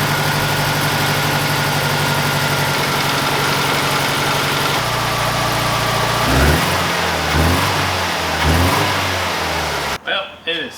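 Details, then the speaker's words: SVT Ford after resetting ignition timing, still out of time and firing out the exhaust: rough, uneven idle that stumbles and pops, then surges when revved; misfire. "definitely still out of time which makes no sense I did exactly what I was supposed to do did the right way and it runs like crap"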